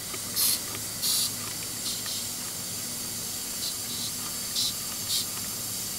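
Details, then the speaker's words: Boosted intake/intercooler system under pressure test after intercooler replacement: continuous high hiss with short louder spurts, far less screaming than before; remaining leak likely at the small hose from the manifold top to the MAP sensor. "as you can hear we don't have a whole lot of screaming like before you can't hear some air flow"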